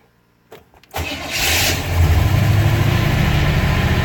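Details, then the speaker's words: 1955 Hudson Rambler, true cold start after sitting a couple of days, gas pumped and push-button started: a short crank, then it catches quickly into a fast, steady choke idle around 2,000 rpm. Normal cold start. "Starts right up. You can hear it has a choke on it, so we'll let it run with the choke for a second."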